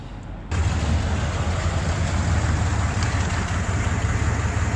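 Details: Buick 455 big-block V8 with points ignition and Quadrajet carb, running low on oil, checked for lifter noise: catches and settles into a deep, lumpy idle with a rough puffing tick, judged just an exhaust leak, nothing crazy.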